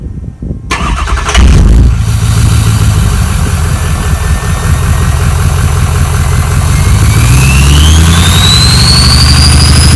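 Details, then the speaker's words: Ford F-350 diesel after repair of a bad injector and wire and removal of an extra muffler: cranks and catches, then settles into a loud, even rumble with a clean turbo whistle climbing in pitch; running healthy. "a little sound teaser for all of you guys who love to hear the whistling of the the turbo whistling and all the girls impressing your boyfriends we'll let you guys hear cuz it's loud it sounds pretty cool"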